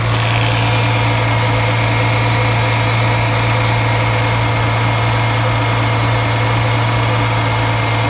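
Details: 2008 Dodge Charger 3.5L, just after valve cover gasket replacement, checked for leaks: steady, even low hum with a faint constant whine, no ticks, hisses or misses; idle sounds smooth and healthy, no leaks seen.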